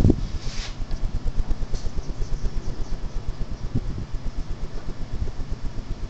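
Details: Hunter Robbins & Myers Original ceiling fan with Reverseaire and adapter blades, dull and hard to pull but still blows: steady low whoosh of air with soft even blade beat, running normally on high.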